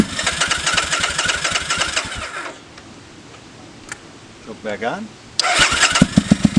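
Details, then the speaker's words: 2005 Triumph Bonneville America twin, first start after years in a shed, choke on, idle likely set low: uneven loping beat that stumbles and recovers; runs but carburetors still need tuning, possibly one cylinder misfiring. "as you can see we got it running pretty good still needs a little bit of tuning"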